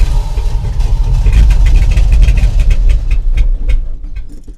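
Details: 1984 Dodge Ram W250 carbureted V8 just after first start following new fuel pump, filter, hoses and carburetor; deep even rumble holds steady then eases slightly, idling smoothly on restored fuel supply.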